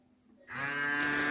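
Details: Cooler motor converted into a 12 V-to-220 V AC generator, battery-powered from 12 V and being tested with a small LED. Silence, then a sharp buzzing hum jumps in within a fraction of a second and holds steady: a normal start-up.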